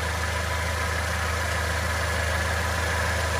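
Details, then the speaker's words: Ford EcoSport radiator fan motor, tested by wiggling its connector under the car at idle: rough electrical buzz and visible sparking, then the fan stops entirely. Cause is worn brushes making poor contact on the armature commutator. "ó pessoal vocês perceberam ali né saindo faísca ali dentro quando eu tava mexendo aqui ó que inclusive até parou de sair faísca e parou de funcionar de vez agora certo aquelas coisas que eu já estava saindo é porque as escovas do ventilador tá com mal contato ali no induzido"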